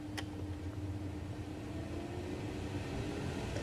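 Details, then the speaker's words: Rear blower on a 2002 Chevy Trailblazer EXT LT after replacing the rear blower motor AC resistor (fan previously ran constantly regardless of setting): low, steady fan hum with even whir at constant speed; normal blower operation. "That blower is on for the first time in a long time. I'm so excited."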